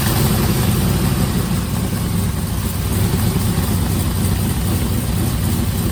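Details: 1955 Buick Special with LS engine swap, after new head gaskets, a new radiator and an electric fan, on a remote fuel tank: a deep, steady V8 rumble with no misses or knocks; the engine started and runs cleanly.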